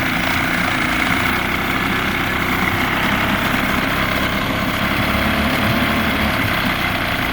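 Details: Vintage barn-find two-stroke outboard boat motor, first start in 20+ years, idling on the water: even, steady burble with no misses or knocks, running smooth; normal idle.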